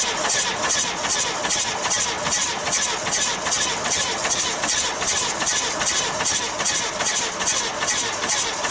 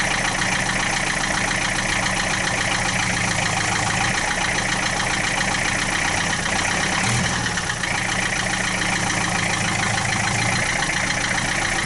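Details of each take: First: 1966 Austin London taxi, first start in years: sharp rhythmic chuffing about two to three a second as air blows back out the intake; suspected intake valve problem, valve cover pulled next. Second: 1966 Austin London taxi diesel, first start in years, started without glow plugs at about 35-40°F: loud busy clatter at steady idle, no misses or surging, about 50 psi oil pressure, no smoke; normal idle.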